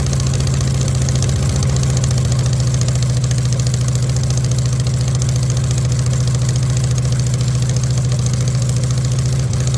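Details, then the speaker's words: VW Beetle rat rod after the build with copper shims added: deep idle putter with a slightly stumbling rhythm of about 3–4 beats a second. It runs rough with untuned carburettors needing balancing. "It's running a little rough, but for not being tuned at all, carburetor-wise, I think we did okay."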